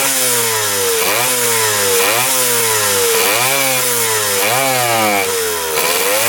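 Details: 1977 Kawasaki KE100 two-stroke enduro, first run after 10 years parked: raspy blips up roughly once a second then sags back, never holds idle even with throttle stop fully in; air screw adjusted, owner suspects poorly venting gas cap.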